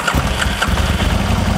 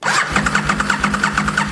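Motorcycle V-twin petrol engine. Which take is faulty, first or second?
second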